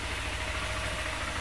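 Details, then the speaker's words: 2020 Honda Fan 160 motorcycle after camshaft check and oil change: even, smooth idle with steady beat and no tapping or knocking; normal idle, earlier engine noise gone. "ela ligar aqui a chave aí galera nada de barulho troquei o óleo tava muito feio aí a gente trocou o óleo de novo é o barulho sumiu"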